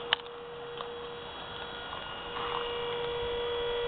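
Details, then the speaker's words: 2005 Toyota MR2 electric power steering pump fitted in the front wheel well of a 1966 Ford Fairlane, engine running: steady, clean mid-pitched electric hum, very quiet, slightly louder under load. Normal electric power steering pump. "so it makes a little more noise when it's under load but otherwise it works pretty nice and it drives super nice"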